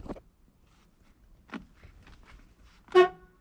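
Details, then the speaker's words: Old Ford, previously seized, checked with a new battery before any cranking attempt: short, sharp horn blast after quiet shuffling; the horn works. "we got horn haha"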